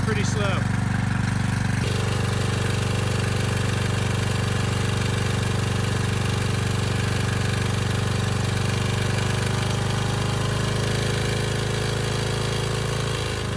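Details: Briggs & Stratton Storm Responder generator repowered with a 10 HP Briggs engine, just started after governor adjustment, before load test: steady, even drone at a low, lazy pitch with no hunting; the engine runs under speed.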